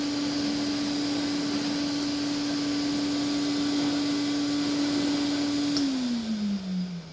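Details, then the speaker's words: Old Hoover vacuum with a gasketed wand, owned since about 2007–2008; the motor was never or barely lubricated, with nothing done in over a decade. A quiet, steady whine that slides down smoothly at switch-off, no rubbing; normal running. "all right let's fire up the Hoover so quiet looks effortlessly on those pushing the Bears at least"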